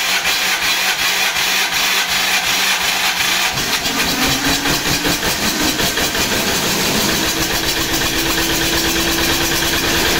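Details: MEP-802A diesel generator, first start after piston ring and gasket/seal replacement (previously one cylinder firing, blue smoke, intake blowby): brief cranking, catches and settles to a steady, even run with no misfire or stumble; healthy start.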